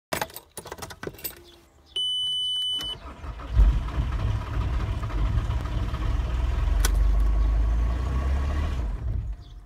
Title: T5 axd odpala i gaśnie